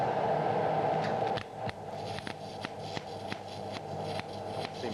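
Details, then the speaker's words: MIG (GMAW) welding thin carbon-manganese steel plate: uneven crackling arc with sharp irregular pops; voltage set too high, wire not retracting, metal transfer forming globules toward globular; fix is turning the voltage down. "that problem we had before the first one which is there's too much voltage there the wire is not detracted is not going incident transfer is try to form a globule to get to globular and there's too much power"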